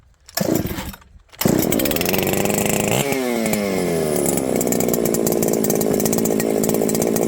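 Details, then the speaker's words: Ported 394XP chainsaw, rebuilt after two to three years boxed, had faded until it would not run (coil suspected). Started with choke, it catches after a couple of pulls and revs cleanly into a strong, even two-stroke scream: running properly, fixed. "well friends I'd say it's fixed let's see how this thing restarts really important to me that my saws restart easily"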